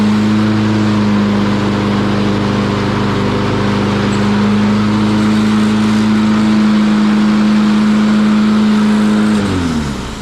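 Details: Lawn Boy mower with a Kohler engine that had cut out and died, running after its carburetor jet was cleaned of rust particles: steady single-cylinder drone holding one pitch for ten seconds, then winding down cleanly at shutoff; running normally.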